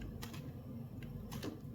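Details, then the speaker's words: 14–42mm Micro Four Thirds kit lens, plastic, no optical stabilization: quiet irregular clicking and buzzy ticks as it hunts for focus; focus motor rough and noisy but works. "so you can you can hear that focus engine working and it's it's not a pleasant."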